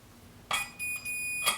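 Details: Tone King Falcon amp (built late 2013), hum/buzz fix: pot coating scraped, meter continuity from chassis-ground bolt to pot back gives a probe click then steady half-second high beep; pot casing now grounded.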